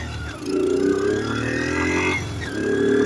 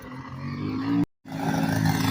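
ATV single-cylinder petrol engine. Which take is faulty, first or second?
second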